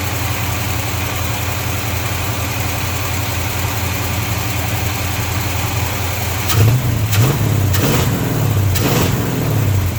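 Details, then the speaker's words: 1953 Chevy truck after a hose leak fix and backing off too much timing: steady low idle with an even beat and no knock or miss, then quick throttle blips that pick up cleanly. Fast idle stuck on because the choke is unhooked. "let me tighten that down a little bit more yes sir I already tail is running much much much better"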